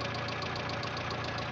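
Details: Renault 9, engine knock at idle: fast, even tapping knock, about seven raps a second, over steady idle; owner suspects worn bearing shells (likely), not confirmed.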